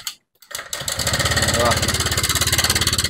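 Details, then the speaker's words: Honda Vario 125 scooter, seat off, engine idling: fast, harsh metallic clatter about three beats a second, likened to a sewing machine or typewriter; mechanic suspects the cam chain tensioner and removes the throttle body. "ngeri sekali kayak motor mau meledak gitu ya Suaranya kayak mesin mesin jahit mesin ketik ini"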